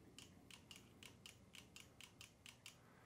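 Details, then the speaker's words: Honda Africa Twin at 8000-mile service, brake light check: crisp light clicks about three to four a second as the front brake lever moves; the front brake light micro switch works normally. "when it comes to the front you can hear the micro switch clicking"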